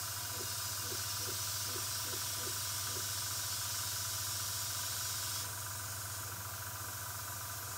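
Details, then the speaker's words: Upgraded air assist on a 10W Endurance laser fitted to a CR-10 3D printer, new quieter air compressor running with the electronics: loud, steady airy hiss with only a faint hum under it, quiet enough to talk over; air assist blowing normally. "so now the air compressor is running down here is blowing air out here the like thunder electronics are running and as you can hear or not hear I can still normally talk and you can understand me of course there is some noise and that is to be expected"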